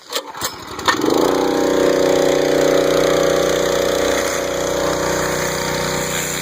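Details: Northstar pressure washer with a 9hp Honda GX engine, rated about 3,000 to 3,300 PSI: after a couple of pulls it catches and settles into a steady, even buzzing run with no misses or knocks; healthy start and run.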